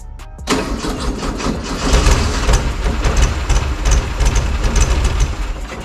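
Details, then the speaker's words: VW Beetle engine just rebuilt in a backyard shed, second start attempt: catches after a short crank, then runs with uneven, lumpy beats wandering in strength, like missing on a cylinder; cause unknown. "alright so it runs I suppose I'm going to find out what's going on"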